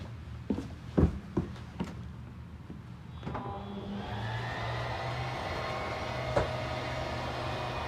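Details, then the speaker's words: 2022 Jayco Eagle HT 29.5BHDS travel trailer slide-out: clunks, then a steady even electric motor drone; the loud noise at full travel is normal and means the slide is fully extended. "yeah also that scary noise that is normal it just means you're fully extended so don't be afraid if you do hear that noise same thing on the way out"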